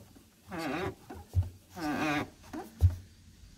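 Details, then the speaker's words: 2004 Chevrolet Silverado 5-speed, new clutch pedal assembly just installed; two long creaky squeals each with a clunk as the pedal is worked, grease wiped off the white pivot ball, to be regreased. "You hear how noisy that thing is? Well, that's annoying."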